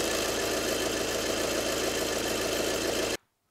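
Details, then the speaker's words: 2012 VW Passat 2.0 diesel at idle: harsh gritty rattle with fast uneven ticking about four per second from the AC compressor area; compressor seized and broken, not timing belt. "there you go that's the noise um just gonna jack the car up remove the wheel the wheel arch liner down the tray remove the belt and see if we can find anything"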